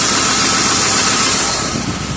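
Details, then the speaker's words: BMW E36 with M50 inline-six idling just after start with a misfire problem: uneven stumbling beat with hiss; cause unconfirmed. "you can clearly hear the car has almost fire thank you so she's not happy"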